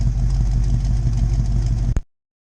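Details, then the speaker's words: 1977 Pontiac Trans Am old V8 at idle, started just before being put away for winter; deep, even, lumpy rumble with steady low pulses, no knocks or ticks — a normal, healthy idle. "Nothing sounds like an old V8."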